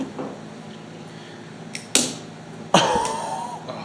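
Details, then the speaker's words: Scorpion Super Stinger snowmobile with a CCW 400 reed-valve engine, sitting 20+ years, after its points were cleaned: two sharp, crisp spark snaps about a second apart. Strong ignition spark. "hopefully you guys can hear that that was a nice snap dude"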